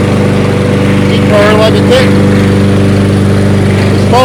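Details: Toro 22-inch Recycler mower burning off excess oil; small single-cylinder settles into a steady, even putter, no hunting or misses; healthy, stable idle.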